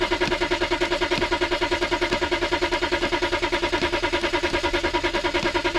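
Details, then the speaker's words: BMW X5 diesel cranking on a cold 4°C morning with the battery warning light on: the starter turns in an even rhythm of about three compressions a second and never catches. Owner blames the glow plugs, roughly 4 of 6 working, so the glow plug circuit is faulty. "C'est que les bougies de préchauffent. On joue sur 4 au lit de 6. C'est ça le problème."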